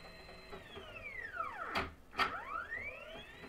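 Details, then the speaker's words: DIY Faraday coil winder, geared stepper spindle under GRBL v1.1 in G1 mode, sped up winding 421 turns on a power transformer layer; stepper tone sweeps smoothly up and back down without stutter or grinding, normal operation. "so if I'm getting a little impatient I can go ahead and spin my transformer up to full speed and what it's going to do is put 421 turns on this this layer of power transformer"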